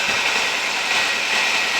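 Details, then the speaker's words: 1997 Nissan Almera/Pulsar N15, GA14DE, about 162k km, revived after 9-10 years sitting, after a little cleaning: steady, even idle now firing on all four cylinders, with a water leak still present; normal idle. "Now it's running back on 4 cylinders with a water leak here, which I hope I will fix now."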